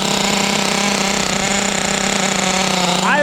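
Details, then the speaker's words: Restored Traxxas T-Maxx with OS .21 nitro engine, first run on a cold ~42°F day, warming up after start: steady high-pitched buzzing idle settling smooth and even; running cleanly. "there we go fired up real well pretty okay not bad good thing is I can see a good amount of smoke coming out of there seems to run well even without the glow"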